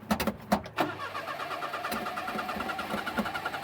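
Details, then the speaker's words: 1988 Daihatsu Hijet mini truck after 2 years stored, with the fuel pump running and the fuel filter filling: several cranks, then a weak, faltering idle. Hard start, won't stay running. "foot to the floor yeah it's doing it again that's the same thing I was doing yesterday it would it ran good a couple of times I shut it off up at the pond and I went to restart it like right after it wouldn't"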